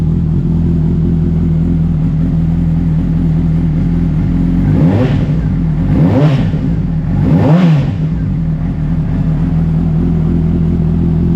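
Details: 2007 Honda CBR600RR after refresh with oil, filter and air filter change, in neutral; starts after priming and settles into a steady idle, then three clean throttle blips rise and fall evenly; engine sounds healthy.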